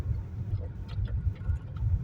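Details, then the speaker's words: Chery Tiggo 4 at about 3,000 km, driving on gravel after dealer warranty repair tightening steering cardan joint near pedals: low road rumble and stone patter, no steering knock anymore. "Съездил к дилеру. Больше ничего не шумит, не долбит, не стучит. Вот. Пробуем по щебёночке."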